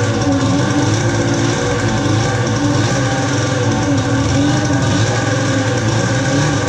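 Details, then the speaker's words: Polaris ProX2 700 two-stroke, head pulled and oil put down the cylinder while troubleshooting; revs hunt and waver with an uneven, ragged note; owner suspects bad fuel. "well it sounds like it's got some gnarly fuel in it put it right what do you guys have pro x2 does run runs like regardless but it does run"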